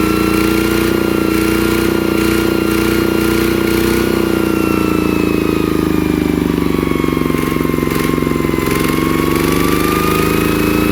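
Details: ET110 single-cylinder diesel after rebuild for an abnormal knocking noise, smooth steady beat with even tone and no knocking or rattles; judged good, normal running.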